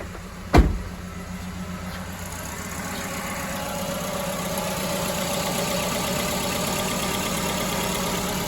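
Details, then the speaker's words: Multicylinder car engine at start-up: a thump, then a low, lumpy idle with an uneven beat as the engine shakes hard; dead misfire on one cylinder, compression issue considered unlikely. "let me actually start the car and we'll see and feel the dead Miss yeah she's shaking like a right"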